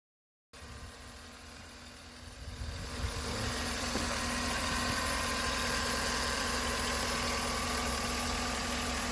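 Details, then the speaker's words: 2013 Chevy Suburban after repairing a lifter noise caused by lost oil pressure from an incomplete earlier repair: a steady, even idle with no ticking; oil pressure normal with the temperature gauge at halfway. "ya nuestro ruido la presión de aceite pues la instalan normal ahorita ya después de la temperatura hasta la mitad es sólo normal"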